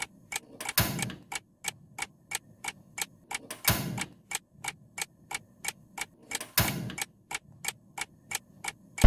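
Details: Gas stove after cleaning a burner clogged with dirt that gave a small flame: steady sharp igniter clicking, about two to three per second, with a soft whoosh each time the flame catches, repeated lighting; the flame is now full and the igniter sparks cleanly.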